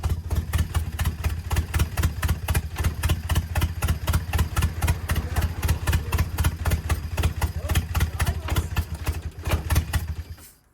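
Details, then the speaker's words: 1987 Nissan Silvia S12 1.8 turbo, just started after 14 years sitting, no exhaust: loud uneven pops about four per second, stumbling rough idle before shutoff; owner suspects boost leak from missing hoses, lambda probe or airflow meter, unconfirmed. "I'm not gonna call that an idol that's kind of cool it sounds like either a big boost League one of those hoses all that stuff that's missing"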